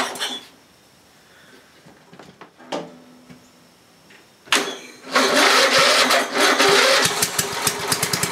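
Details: Briggs & Stratton 11 hp flathead (model 25), first run in a year, cold morning start, carburetor set richer: some clatter, then catches and settles into quick steady putter; runs well after cold start, burns a little.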